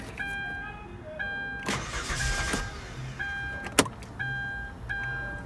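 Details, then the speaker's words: 2013 Hyundai Santa Fe V6 (3.5 L): steady priming pump pulses about once a second, then a short crank that catches into a smooth idle. Normal start; check engine light from disconnected fuel tank pressure sensor. "can hear the pump. There it is. Got it running."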